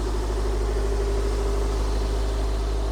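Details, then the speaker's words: 2003 Toyota MR2 Spyder TRD 5-speed with K&N filter, cold start in engine bay; steady smooth idle held slightly high rpm while cold, no knocks or misses; normal cold fast idle. "As you can see, it's a cold start, so the RPM is still a little bit higher, but it sounds great."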